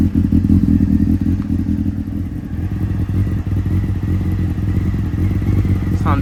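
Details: Honda CB600F Hornet inline four after replacing cooked regulator rectifier and burst fuel line, charging about 14.3 V: even, steady burble with no knocks or missing beats; normal running.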